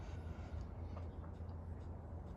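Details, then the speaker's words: Honda S600 with carburettors: low, lumpy rumble with uneven beats, misfiring with a cylinder dropped and only the two centre cylinders firing; owner suspects a weak aftermarket fuel pump not making enough fuel pressure, to be checked before touching carbs. "So, that's caused it to drop this cylinder here now. It's only It's only firing the two center cylinders."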